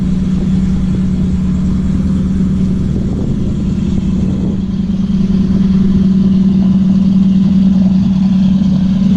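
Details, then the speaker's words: 1985 Chevy Blue Bird pickup, 366 gas V8, started instantly, choke pulled then pushed back in, fast idle set about 1200 rpm while warming up; steady, smooth low rumble with no knocks or misses, normal warm-up. "She started instantly, pulled the choke out, fired, popped her back in. Now I've got her set about 1200 RPMs, warming up."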